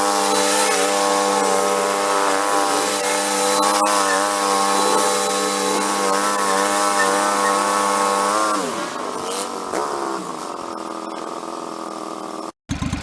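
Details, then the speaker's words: 1991 Craftsman GT twin-cylinder garden tractor, rescued and revived, test running after repairs; steady, even hum with no knocks or misses that eases down smoothly near the end, quiet compared with a typical buzz box: normal running. "a nice little machine everything seems like it functions fine it's nice and quiet it doesn't make much noise compared to a regular one that sounds like a buzz box"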